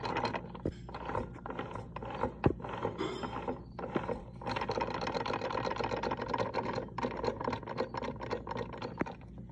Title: Dodge Dart RALLYE engine knocking sound